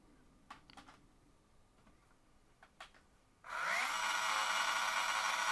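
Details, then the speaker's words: Policar WRX slot car with the same motor as the others: after a few light clicks it spins up to a loud, rough, high-pitched whir with a steady whine, the roughest of the batch. Source uncertain. "that yellow one sounds a bit Saucy but they've all got the same motor in and that one is a little quieter running as well yeah that one's definitely the roughest one of the lot"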